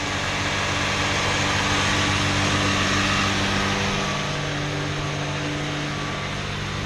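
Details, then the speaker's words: Old Chrysler with a newly replaced alternator, cold and warming up at high idle: steady high-pitched whine, almost supercharger-like, over an even idle. The voltmeter shows it is charging. "she's running good that high idle right now it's warming up you can hear it whining almost kind of sounds like a supercharger a little"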